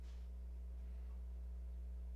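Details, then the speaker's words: Klipsch RSA-500 subwoofer amplifier on the bench. A 30 Hz test signal gives about 10 V RMS output: a faint, steady low tone with no buzz, crackle or wavering and a clean sine wave. "10 volts rms roughly it's got a really nice clean sine wave"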